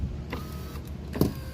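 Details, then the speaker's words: Volkswagen Mk6 Jetta rear right power window with the motor humming and sharp clicks and clunks, rattling over bumps when down; a loose 10 mm bolt, fixed by tightening it. "you can hear that click that clunk it was this thing hitting you see that thing vibrating so every time I hit a bump or something my whole window was loose"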